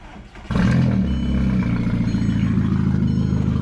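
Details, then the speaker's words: VW Mk4 after a battery relocation to the trunk: engine catches and runs lumpy and uneven with a clattery, unsteady beat. The rough running is from an existing vacuum leak. "car stars is gonna run like crab right now because I still got a food I have a vacuum leak there"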